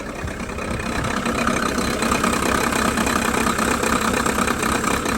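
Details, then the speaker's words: VW T4 diesel just restarted after PP0.5 injector installation, no leaks: idle runs unevenly with a rattly beat rising and falling about three times a second; lumpy idle before idle adjustment with VCDS. "As you can hear, the idle is lumpy."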